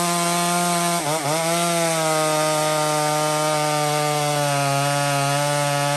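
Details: Small Homelite chainsaw ripping through maple: a high, even two-stroke scream dips briefly as the chain bites, then pulls back steady through the cut. Normal cutting under load; saw runs healthy.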